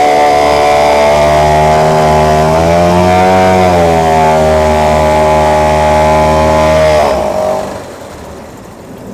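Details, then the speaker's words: Outboard (one of three serviced motors) running in a test tank with water flowing normally: steady, even smooth drone holding pitch until shut off; normal running. "В принципе, все 3 мотора работают хорошо."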